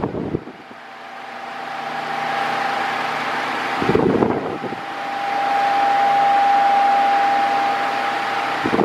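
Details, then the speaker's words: Mondial Maxi Power 40cm 140W V-40-B fan, new, oscillating: a steady mid-pitched motor hum over airflow hiss, swelling and fading as the head sweeps. The owner finds the motor too noisy, even on minimum. "está barulhento está barulhento o motor tá com você escuta o barulho do motor né então isso daí eu eu não achei legal a mínima dele tá barulhenta demais"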